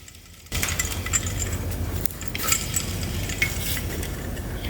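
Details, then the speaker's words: Bad alternator removed from a 1997 Jeep TJ, spun by hand: rough gritty rasp with scattered metallic ticks all the way round, worn alternator bearing. "So, there is the bad alternator and it does not sound very good."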